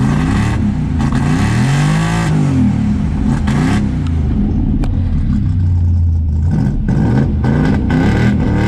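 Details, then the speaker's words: Dodge Dart after electronic ignition conversion, mounting not yet finished: deep, smooth blips rise and fall cleanly, steady return to idle, no misses or pops; seems much happier, normal free revving. "uh yep so seeming a lot happier we still got to finish mounting everything and you know clean up in here but uh yeah"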